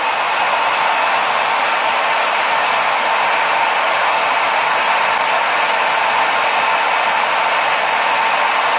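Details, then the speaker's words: Router, upright as if mounted as CNC spindle, recorded at table edge: loud steady high-pitched scream at full speed, about 95 dB, hard to talk over; normal. "95 and A2 at this distance. And I'm sure it's hard for you to hear me. It's hard for me to hear myself."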